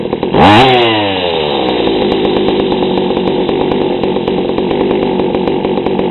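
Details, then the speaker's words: GoPed gsr40 two-stroke with 603 high-performance carb, leaned a quarter turn: quick blip falling to a low, burbling, slightly uneven idle; still too rich, idle too low. "yeah I leaned it out a quarter turn it still seems too rich and idle's too low"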